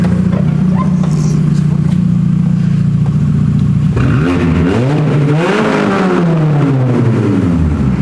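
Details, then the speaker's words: Mini with the exhaust removed, running on the downpipe only: loud raspy idle swelling to a harsh blaring roar when revved, before the new exhaust is fitted. "And there's one thing you always have to do. It's the law. It's the law. You have to start it. Downpipe only."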